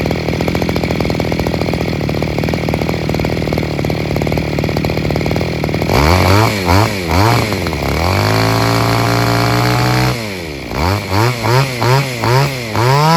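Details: Second-hand Robin NB411 two-stroke brush cutter with a diaphragm-pump carburetor and the original clutch housing, fully rechecked on original parts: a smooth buzzing idle, then quick clean revs that rise and fall crisply with the throttle. It is running well.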